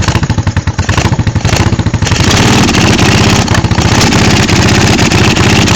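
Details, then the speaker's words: 1986 Honda Shadow 1100 V-twin, very high mileage: lumpy, stumbling beat with irregular gaps at low revs, smoothing slightly when revved; rear cylinder missing, its exhaust sounds like sucking in, with blowback through the carburetor. "this one here sounds like a sucking in cuz the cylinder's missing"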